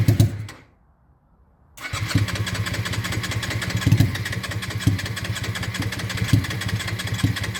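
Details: Honda Shadow restoration, carb float suspected stuck open and leaking fuel, started at full throttle: burst of cranking, pause, then uneven lumpy idle with irregular puffs and surges; hard starting, struggles to settle.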